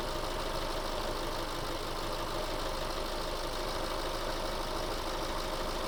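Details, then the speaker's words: 2008 Subaru Forester SH9, EJ253 engine, after heater hose replacement, system bled and pressurized, fans switching on: steady even air rush over quiet idle, no rattle or catch; radiator fans operating normally. "And they've just turned back off again. So system's bled, it's under pressure, the fans have cycled, so everything's working as it should."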